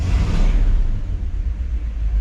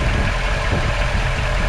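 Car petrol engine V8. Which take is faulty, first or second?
first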